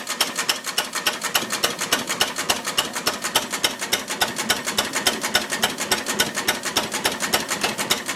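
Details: Ruston Hornsby model PR, about 1926, horizontal single-cylinder petrol-paraffin engine, running on petrol after leaning the rich mixture, apparently first start in 5 or 6 years: crisp, steady ticking near 105 beats a minute, no misses; normal idle.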